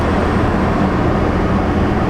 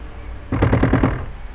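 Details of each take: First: 2020 Toyota RAV4 after replacing a blower motor that had been noisy and then failed, packed with rodent nesting and acorns: even, steady airy rush with no rattle, squeal or ticking as the blower runs through its modes, healthy. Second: 2020 Toyota RAV4, key on, blower on high: short burst of rapid hard rattling clacks as the fan tries to spin; blower motor packed with rodent nesting material and acorns, cabin filter chewed through, motor failed after making noise.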